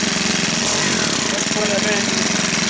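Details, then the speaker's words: Stihl KM130 4-mix engine just after valve adjustment (set to about 0.010 in) with carburetor still tuned for old valve settings: high, uneven buzzing, speed wavering; running rough, owner suspects it needs carburetor retuning. "So I don't know if you heard me there, but it sounds like it needs a tuning now because of the way it was running before with the valves the way they were set."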